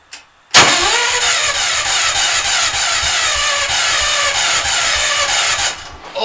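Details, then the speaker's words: Hard cold start on an engine that always is hard to start when cold but fine when warm. Owner says timing and valves are set right. Fast steady starter churn for about five seconds without catching; cause unknown. "this thing is hard to start it always is when it's cold does that lot"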